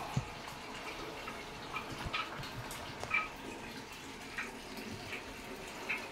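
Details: American Home automatic top-load washer that washes but won't spin-dry (customer reports ERR code): steady gentle trickle of water running into the tub with soft splashes and drips, no pump or valve noise; normal fill.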